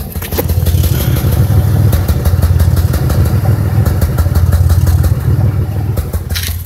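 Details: 2005 Chevrolet Impala 3800 V6, loud uneven lumpy idle stutter about three beats a second; P0305 code, cylinder 5 misfire persisting despite new #5 spark plug, wire and injector.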